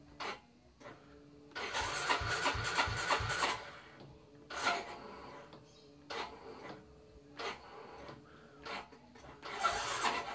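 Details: Yamaha Mio J scooter, battery at 13.1 V before EDTA reconditioning: short, labored starter bursts churning slowly and cutting out without catching; weak battery cannot turn the starter.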